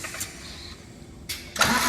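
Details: Scania truck diesel, first start after an engine rebuild (all six pistons refitted): brief cranking, a pause, then a second crank that catches into a loud, steady roar as the engine fires and keeps running.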